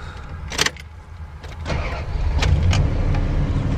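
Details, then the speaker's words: Van idling after sensors were swapped out: after door and handling noise, a steady low idle with no misses, knocks or hunting; sounds healthy now. "Yay. Sounds beautiful now. Yay for our team."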